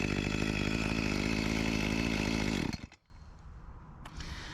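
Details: Echo CS-352 chainsaw after a new carburetor and gasket cured its start-then-die fault, cutting a log: strong, even high-revving buzz held steady through the cut, then drops cleanly to a quiet idle; running normally, with a slight bog blamed on a dull chain.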